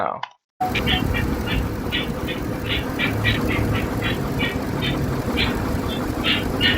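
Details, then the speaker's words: Chevy hybrid with 6.0 Vortec V8, water seen on top of engine: light, even ticking about three a second over steady idle; suspected from one of the accessory drives, not confirmed. "I do hear like a slight tick tick tick tick tick I think that might be coming from one of the accessory drives"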